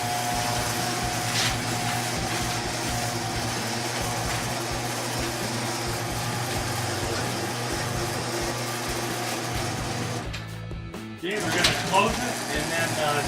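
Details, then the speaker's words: Home inspection walkthrough, Denver house garage: garage door opener operation test. Steady motor drone with even chain rattle for about ten seconds, then it stops and the door settles. Opener works normally, though the safety sensors are mounted too low. "right now we're going to be just testing the garage door for its operation"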